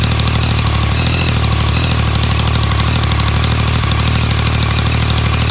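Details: New 2016 Yamaha MT-09 with countermeasure cam chain tensioner: even idle with a busy, rattly ticking about three per second. The dealer says this clatter is normal.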